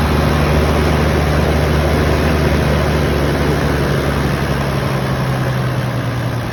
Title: 1HZ power loss/rough idle